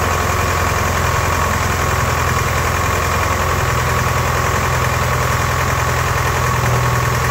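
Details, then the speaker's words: Ford-built M151A2 military jeep, 141.5 cu in 71 hp engine, stored 20 years, just restarted after refilling, oil gauge pegged: loud rough idle with uneven knocking, two or three a second; sounds like a diesel, not valve train, owner suspects pistons or rods. "That motor right there, it sounds like a diesel."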